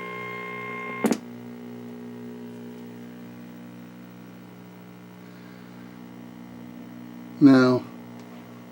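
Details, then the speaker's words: Zenith N23270-6 black-and-white portable tube TV, warmed up, fed from a Sencore signal generator: constant low buzz with steady tones from the sound section; reducible via rear buzz control but not fully eliminable. "been told that these detectors in this this will not able to be totally eliminated but there's a buzz control on the back and there's other things that need to be taken care of to you know not eliminate but reduce the amount of buzz"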